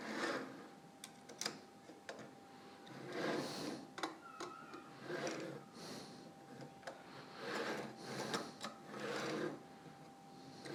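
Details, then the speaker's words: Anet A8 3D printer during assembly, carriage pushed by hand after tightening: gritty, scratchy uneven rasp instead of a smooth glide; bad bearings or hardware suspected. "that seems a little better oh sorry I was hoping it wouldn't sound really terrible that's how bad these bearings are I think because it's not supposed to sound that way"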